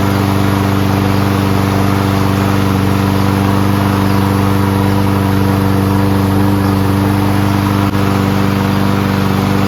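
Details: Toro Recycler Personal Pace mower with Chinese Loncin engine, started on first pull with choke manually closed after self-propulsion repair: steady, even single-cylinder drone with firm low hum, no misses or surging, no smoke despite being on its side; running fine.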